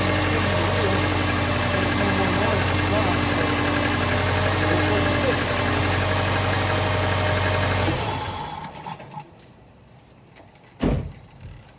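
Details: Subaru 2.5L non-turbo (2002-2007 Impreza/Forester/Outback/Legacy) after accessory belt tensioning to cure loud squeal while steering; steady even idle about eight seconds, no chirp or squeal, then shutoff. Normal idle, quiet belt drive.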